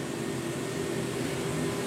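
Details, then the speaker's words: 1994 Guillot Optimagaz Type 291 floor-standing boiler, 287 kW, atmospheric natural-gas burner, both heating circuits on demand for combustion test: steady low roar with faint constant hum, no surging or rattles; burning normally. "On entend le bruit de l'Optimagaz."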